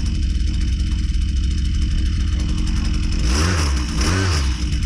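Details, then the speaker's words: Husqvarna 122C string trimmer two-stroke after carburetor low-speed leaned out slightly, around 2500 rpm: steady buzz then two quick clean rises in pitch on throttle; response crisp and normal. "yeah response sounds pretty good so we leaned it out a little bit the RPM is going up how's the response"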